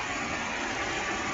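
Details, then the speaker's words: 2007 Volvo XC70 Cross Country, about 331,231 miles: smooth, even idle hum with no ticks, knocks or misses; engine idling normally. "You can hear her. She is purring."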